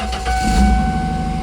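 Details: 1998 Ford Mustang convertible, 148,000 miles, sitting 10 years, after fuel pump replacement: first start, steady even low rumble with a constant faint tone, no knocks or misses; normal idle with good oil pressure, fuel low.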